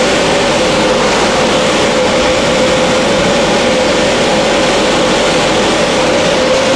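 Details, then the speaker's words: 1300 CFM inline range-hood blower running on high with its blade shifted off-center, giving loud rushing air over a steady hum. The off-center blade is meant to cause serious vibration. "but this will cause a serious vibration and I'm going to turn this on and I won't be able to talk but you'll be able to hear the vibration and you can feel it"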